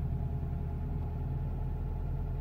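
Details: 2002 Renault Clio II that wouldn't start with immobilizer red light after flat battery, now running after operating wipers and switches: low steady idle rumble, no misses, knocks or hunting; normal idle.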